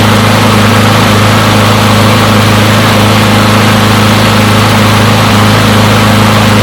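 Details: Push mower from a neighbor who said it wouldn't start; run to warm up after long disuse. Small single-cylinder holds a smooth, steady beat with no hunting or misses; runs pretty good; normal running.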